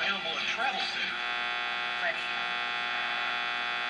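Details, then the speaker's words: Recapped Philco 39-30 tube radio with roughly 100-foot wire antenna: steady electrical buzz with fine high-pitched edge at even level; outside interference heard on all the owner's radios, worse some days, owner suspects neighbors. "all that buzzing that you hear i picked it up on all my radios i'm not sure what it is"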